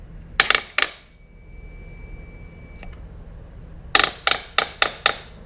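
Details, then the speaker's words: 2009 Harley-Davidson Rocker C (FXCWC), not started over winter, battery 12.9 V on charger, fuel pump heard: sharp single clicks in bursts with no cranking; owner suspects starter solenoid plunger or starter relay. "It's click when I start it."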